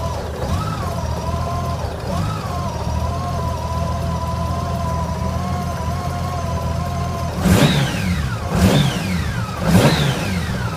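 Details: Honda GL1800 idling rough: low idle with an uneven, wavering beat, then three quick throttle blips; cause not yet clear.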